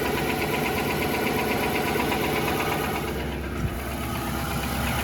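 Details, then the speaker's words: 2018 Nissan Titan Platinum Reserve V8, cold-to-warm start at idle with climate control on, mic above driver's front wheel: light quick knock about three per second, louder when fan/AC clutch engages, gone with throttle; dealer scope found piston slap in cylinder 7. "And it kind of goes away depending on what's happening, I think, with the fan clutch. Here, click, and then it starts to knock again. I also noticed the knock, that goes away when you give it a little bit of gas as well."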